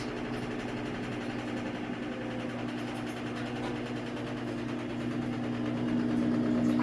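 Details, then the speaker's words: Samsung AddWash washer slowing after final spin into its anti-crease phase: soft, even motor hum with a faint slow churn rising slightly near the end; normal anti-crease tumble. "Well, it's actually going to be an additional minute because after it's going to slow down, it's going to do anti-grease."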